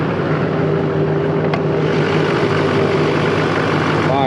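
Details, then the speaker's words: 2004.5 GMC 2500 HD LLY Duramax, 245,903 miles, after the delete, tune and lift pump install. Started cold at about 45°F, it gives a steady, even diesel idle clatter with no misses or knocks. Normal idle. "key in the ignition you'll hear the fuel pump kick on there she she [Music] goes a little cold it's about 45° out right"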